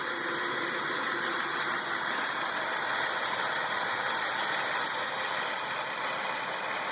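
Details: 2003 Lumina with Ecotec 3.8 (3800) V6 at idle: light fast uneven ticking about three per second over steady hiss, source unknown; other noises possibly from the alternator.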